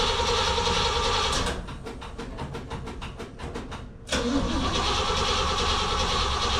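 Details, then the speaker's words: 1968 Pontiac GTO with original rebuilt engine, first start attempt in six months, battery bought about a year earlier: slow, dragging starter turns about three a second that sag and die without firing; dead battery. "oh sounds like she's dead ladies and gentlemen brand new battery"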